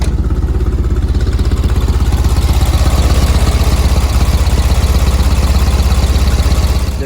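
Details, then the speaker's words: 1965 VW air-cooled flat-four, warm after a six-mile drive: steady, even putter settling into a good idle. "just got back from a quick run up to the store just about six miles round trip it sounds like it's dropping down to a really good idle"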